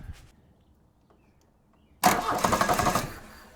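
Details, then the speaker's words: MK1 VW M-TDI with Bosch VE injection pump, lever stack moved counterclockwise relative to the input shaft, clockwise relative to the governor linkage, for lower idle. The starter grinds steadily at about four beats a second, but the engine never starts. "Yeah. So like it won't even start. Case in point sounds good for it, doesn't it? When you grind the starter around a bunch."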